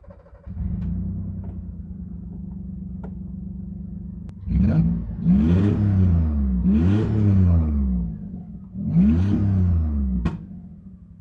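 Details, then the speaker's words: Three quick revs over a lumpy, uneven idle; engine runs rough, not picking up cleanly, missing on at least one cylinder, maybe two. Owner suspects over-oiling from the Accusump oil-pressure accumulator. Cause unconfirmed. "It's missing on at least one cylinder, maybe two."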